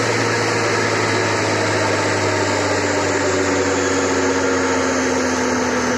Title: Bad bearings D: